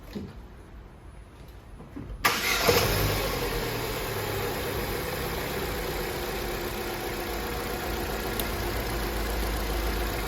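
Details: Opel Astra J petrol engine started cold, shakes more when cold and burns oil: cranks and catches into a lumpy, uneven idle, a misfire traced to burnt valves after plug and coil swaps failed to fix it.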